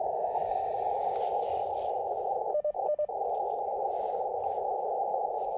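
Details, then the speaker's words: Elecraft KX2 receiving on 40 meters, 7.065, checked against an LNR MTR4B that pops: steady narrow mid hiss, no pops or crackles, two brief dropouts; normal band noise. "this looks like normal band noise to me sounds like normal band noise to me"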